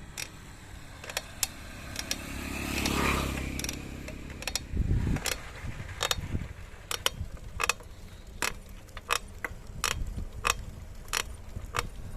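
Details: Montra Downtown bicycle: sharp, irregular creaks and clicks about once a second through each pedal stroke from the bottom bracket area; creaking while pedalling, cause unclear.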